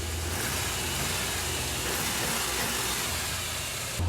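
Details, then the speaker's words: Orange Suburban V8 after third exhaust manifold reseal: steady low idle with no puffing or ticking; leak fixed, engine quiet. "been a long time since it's been quiet that's nice been a few months"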